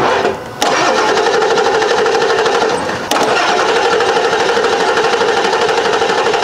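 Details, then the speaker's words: 7.3L Powerstroke diesel, about 500K miles, mid injector upgrade, glow plugs reinstalled: two bursts of steady, even cranking turning freely with no binding; engine not locked up. "we got all the glow plugs back in and now I'm gonna go ahead and try to start it I'm just going to crank it first make sure it's not locked up"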